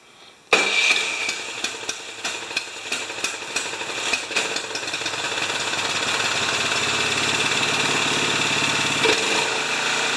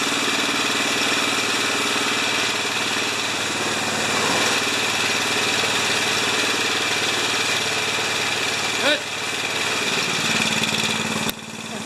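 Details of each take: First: Craftsman 27-inch snowblower, 13.5 Briggs & Stratton engine, after the Nikki carb leaked gas: flooded engine catches with uneven, stumbling pops, then settles into a steadier run as excess fuel clears. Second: Craftsman 27-inch snowblower, 13.5 Briggs & Stratton engine, about 10 years old, leaking gas from its Nikki carb: runs at a steady, even speed with no misses or knocks on the newly installed carburetor, warming old oil before an oil change; sounds healthy.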